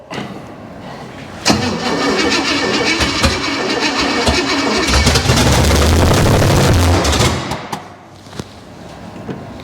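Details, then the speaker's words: Junkyard 305 engine on its first start, with no accelerator hooked up, premium fuel and oil pressure showing: it runs ragged, surging low and high, with no deep knocking. The owner suspects it wants more ignition timing. "she got oil pressure it's not making crazy terrible noises oh at least that I hear the editing on this is going to be brutal low high low high maybe it just wants more timing"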